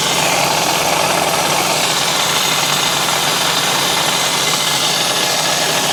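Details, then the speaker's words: 1970 Yamaha HS1 90cc two-stroke twin, running on choke: harsh, rattly running with rough clatter from low in the engine, very noisy; worn crank bearings suspected, engine to be taken apart. "yeah that's pretty bad I think that's what we're up against crank [Applause] bearings"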